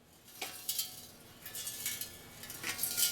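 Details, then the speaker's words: eBay exhaust muffler, shaken by hand: irregular bright metallic clinks and rattles from loose rust flakes tumbling inside the rusted can. "can you hear that it's got rust inside the Blasted thing"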